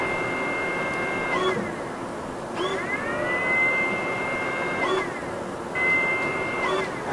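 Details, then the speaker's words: Flashforge Adventurer 5M Pro CoreXY printer (Klipper), external circulation enabled: short whirring servo tones sliding up to a high pitch over steady fan rush, apparently a rear servo opening a valve to vent outside air; normal vent servo and fan operation. "it sounds like it's got a little Servo in the back that opens up a valve and then lets it vent to the outside air"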